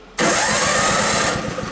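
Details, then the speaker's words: Toro 524 snowblower with newly installed electric starter, plugged in with engine switched off: strong, even whir spinning the engine briskly, no grinding and breaker not tripping; starter engaging properly, repair successful. "Sounds good. It's not throwing the breaker, spinning the engine over."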